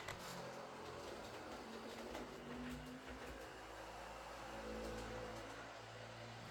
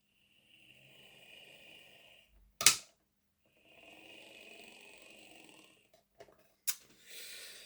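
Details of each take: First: Heljan Class 23 model loco after split gears replaced with 3D-printed ones: quiet steady motor whir and smooth gear hum, no kicking, faint growl at times, suspected from motor mounting or drive shafts; runs nicely. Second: Heljan Class 23 model locomotive, sent in for running slow and clunky, after fitting a 3D-printed gearbox drive gear: thin, high buzzing whir with rough, gritty edge between pauses and clicks; noise disliked, printed gear suspected.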